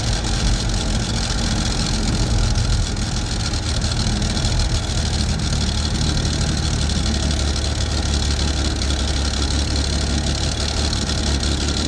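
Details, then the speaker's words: Rochester BV1 one-barrel carburetor on a Chevy II Nova 250 (from a '67), idling on the swapped-in carburetor after priming, exhaust leak not yet fixed; deep, steady, even idle, running slightly better than the other carb and not loading up. "well it's not that bad seems to run a little bit better than the other one not much but it's not loading up or anything"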